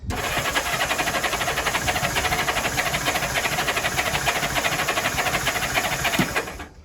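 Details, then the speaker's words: Honda S600 after a borrowed wiring loom, voltage on a spare wire raised from 11 to 12.3 V, fuel pump primed: fast uneven cranking with a hiss and throttle applied, trying to fire but not catching. Owner suspects excess fuel pressure or an ignition fault. "I'll put the camera down. I need to give it some throttle. Definitely trying to run."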